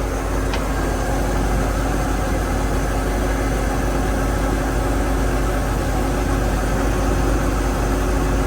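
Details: Inboard engine on a 32 ft Marinette sedan flybridge after propeller shaft alignment, motor mounts adjusted to about 0.003 in coupler clearance: steady, even low rumble at idle with no knocks or thumps; shaft running true.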